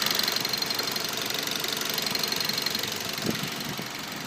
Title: мазда 3 2.0 стук в двигателе